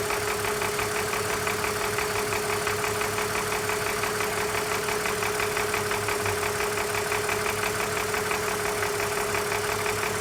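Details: 2004 BMW Z4 M54 petrol straight-six idling steadily with a light, fast ticking/knocking rattle over a constant hum; cause unknown.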